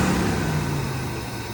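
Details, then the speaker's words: 1978 Chevrolet Corvette V8, test start after new battery, 50 psi oil pressure: steady idle whose hum sinks as it warms, no tapping or misfire; blue smoke and valve cover gasket oil burning on manifolds; normal warm-up idle. "All right, it's starting to get warmed up and the idle is dropped."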